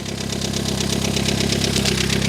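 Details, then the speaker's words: Cheap neglected Mini Cooper S, first start: fast, even ticking over a rough, loud idle with an uneven beat; engine sounds tappy, rocker cover bolts loose, loud exhaust, cause unclear. "It literally runs. Does sound very loud though. I mean, the engine sound a little bit tappy. Like I said, it probably doesn't help because all the rocker cover bolts are loose."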